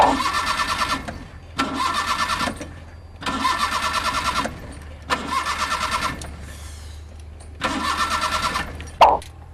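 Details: Car won't start: five long bursts of fast, even starter cranking, each about a second, with no catch or firing. A hard start.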